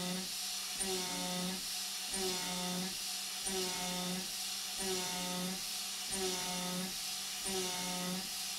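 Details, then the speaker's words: Avid CNC Benchtop Pro, 2.2kW spindle, A36 mild steel at 0.25 depth, 0.07 step-over, 12,000 rpm, about 86 feed: high steady whine, even pass every ~1.3 s, no rattle or chatter; smooth cut, hot blue chips. "once it got into the cut continuously it sounds just fine honestly there's no noticeable chatter the chips are nice and blue and rather hot"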